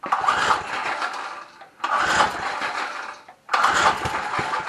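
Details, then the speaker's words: Trim Rite Lawn Keeper edger, Briggs & Stratton 3.5 hp, new fuel tank, half tank of fuel, starting fluid shot: three brief bursts of firing, each dying after a second; hard starting, owner suspects the choke isn't coming off. "Oh guys I'm not big on these Briggs & Stratton so I must be doing something wrong here I must have something in the wrong spot or something because that thing does not want to come off"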